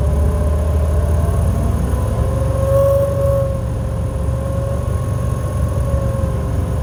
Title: ac making noise